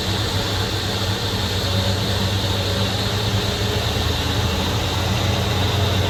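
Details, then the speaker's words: 1966 Ford Mustang first start after sitting 16 years: steady, even low V8 rumble with no misses, knocks or ticks, getting smoky; healthy idle. "Sounds good too. Silent. Oh, it's getting pretty smoky. Silent. Sounds great."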